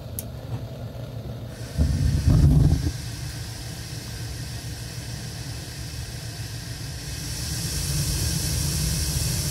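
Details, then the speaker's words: Crane 100 series gas boiler, nearly 50 years old, Honeywell L8148G control, run in manual mode without electricity; burner panel removed, standing pilot always lit; relay closed by hand and the main burners light with a soft whoomph, then a steady low roar and light hiss: normal firing. "so right there is the pilot light burner which always stays running I will manually close the relay and we'll see the burners light"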